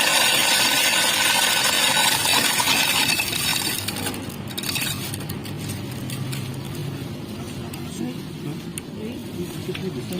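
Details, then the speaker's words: Carlton BES400FD double-blade ice shaver, 250 W, 220 V, 15000 r/min; bright crunching and scattered rattles of ice shifting over smooth motor hum that settles; noise is ice moving, machine working normally. "ketika dicoba tanpa es batu memang suaranya itu terasa cukup halus ya kalau dengan es batu itu hacker arah pintu itu adalah suara es batu yang sering bergeser geser yaitu ke tempat dalemannya ini"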